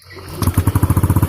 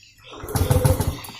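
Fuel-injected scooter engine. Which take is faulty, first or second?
second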